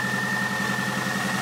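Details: 2004 Toyota Highlander 2.4L, 225,000 km: steady idle with a light, regular knock around cylinders 3–4. Inspection found a worn third-cylinder piston pin, a worn first-cylinder bushing and misadjusted valves.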